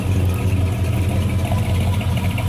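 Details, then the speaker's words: '94 Chevy Silverado work truck with a swapped 400 cubic inch V8, heater hose leaking; suspected Pete Jackson gear drive. Steady even idle with a deep smooth beat and a faint gear whir on top. Normal idle. "That thing sounds good. We think it's got a peak jacket gear drive in it."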